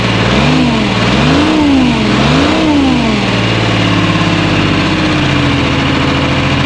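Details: 1975 International Loadstar 1850, Detroit 6V53 two-stroke diesel, just after first start; revs up and down then settles to an uneven stumbling idle, missing on a cylinder. Owner unsure if air in fuel or real issue; no coolant.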